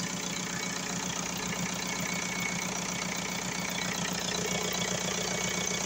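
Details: VW Golf 4 diesel after repair of a crank-no-start fault (injection pump errors: low delivery, open circuit); charging at 14.4 V. Even idle clatter at about 2.5 beats per second, settling. Healthy normal idle.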